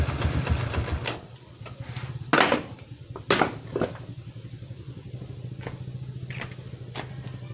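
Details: Yamaha Vega R/Crypton after replacing a dead CDI stator coil for a lost-spark fault: the small single ticks over at a steady, low, even putter under some clunks and handling noise, idling fine.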